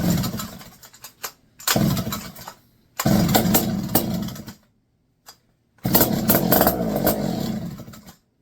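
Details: Barn-find McCulloch 1-80 chainsaw, first run in 30-40 years, with spark and compression, a correct carburetor and no exhaust fitted. Loud raspy two-stroke bursts that rev, die and refire: the engine starts and runs.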